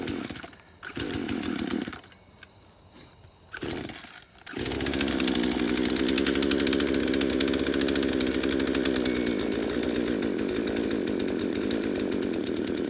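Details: Craftsman chainsaw first start after about five years sitting in a shed: sputters and cuts out a few times, then holds a rough, uneven run; poor fuel pickup, only runs with the choke on.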